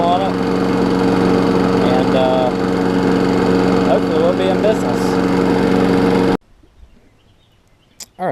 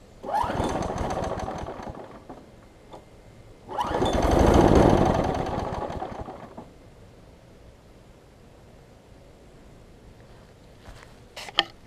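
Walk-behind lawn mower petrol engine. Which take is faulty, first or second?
second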